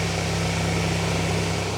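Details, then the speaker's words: Mazda 121 Demio just after an oil-change service: a low, even hum at idle with no ticking or uneven beats, the engine purring smoothly; normal idle. "Ooh. Goddamn. Listen to that thing fucking purr."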